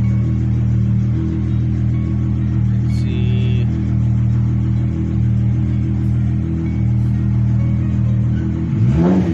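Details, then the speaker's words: VW Mk3 VR6 with intermittent misfire and hard starting, coil pack suspected; at this moment even, steady idle hum with no stumbles and clean rise in pitch on revving, music in background; normal idle, misfire not occurring now. "Damn, she sounds good. She decided not to do it now."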